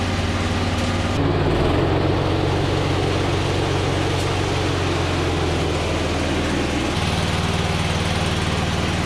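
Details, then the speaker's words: Husqvarna Z246 zero-turn mower, as the throttle lever is worked up and down: a low, sluggish drone whose pitch steps down instead of holding steady. The governor is not regulating engine speed. "As I'm working the throttle lever up and down, it's not"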